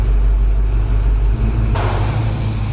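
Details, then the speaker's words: Classic car after electric cooling fan conversion, engine warm: deep steady idle while background rush changes as fans cycle; fans run to cool down from about 200 and stop below 180, expected back on near 198; runs normally. "the fans just stopped while the car is running. Let's go to the temperature. Temperature dropped below 180, and it will continue here until it reaches around, I think, 198, and the fans will come back on."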